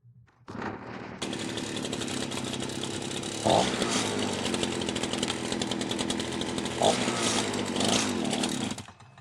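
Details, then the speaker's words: FCO Stark 38 gasoline string trimmer: two-stroke runs rough and uneven, surging when throttled suddenly, then dies; dry spark plug, cracked fuel line drawing air and leaning it out. "Như bạn thấy, động cơ bắt đầu chết máy nếu chúng ta đột ngột tăng ga."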